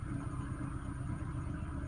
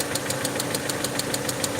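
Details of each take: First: Peugeot 307 2.0i after fixing a vacuum leak, cold start: low, even rumble at idle, no RPM jumping up and down as before the repair; idle holds steady. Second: Peugeot 307 2.0i at idle after vacuum leak fix: sharp, even ticking about six or seven per second from the cylinder head top end; owner suspects broken rocker/valvetrain part inside the head and plans to remove the head.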